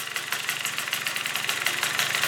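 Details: Yamaha Vino scooter two-stroke with new 70cc big bore kit, fresh plug and new coil wire, first start late at night: quick, even, crisp idle with no spitting; normal idle.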